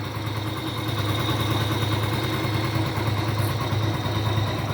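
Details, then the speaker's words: Honda Pop 100 single-cylinder idling after a rebuild for heavy oil consumption and engine noise. An even, quiet, steady thump with no tapping, rattle or misses: healthy, normal idle. "motorzinho ficou dormindo cara dormindo dormindo dormindo bem silenciosinha ó agora tá uma motinha de respeito viu"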